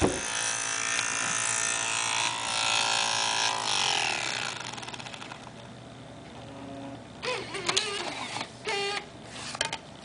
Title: Dell XPS 1340 - strange noise on DVD drive TSSTcorp TS-D633A.MPG